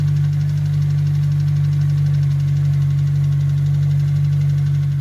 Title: s2000 possible rod knock or tct? #automobile